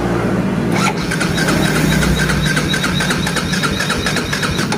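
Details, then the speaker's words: Yamaha Vega ZR/Jupiter motorcycle that starts easily on kickstart: electric starter cranks steadily about four pulses a second but never catches; ignition suspected, possibly weak pulser, not confirmed. "Oke seperti itu ya teman-teman itu susah sekali untuk hidup maka Apa yang harus kita cek terutama pada bagian pengapiannya"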